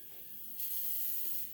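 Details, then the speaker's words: Mazda 3 crank-no-start, injector No.4 bench-tested: sharp steady hiss starts as soon as pressure is applied, fuel leaking before any trigger; faulty injector. "makikita niyo ni binigyan ko pa lang ng pressure halos tumatagas na yung ano natin yung fuel"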